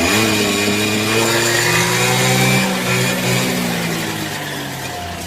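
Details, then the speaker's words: Peugeot Speedfight two-stroke scooter after no-start fix, cold workshop: catches on kick start with smoke, steady even buzz easing toward idle; running cleanly. "Well, that's kick start. That's not bad at all, is it?"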